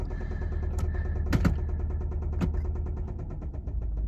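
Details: 2005 Subaru Outback XT turbo, about 120,000 miles, with rod bearing failure: a heavy, shaky idle in gear with a low uneven rumble and dull knocks. It tends to stall when put in gear, but it held this time.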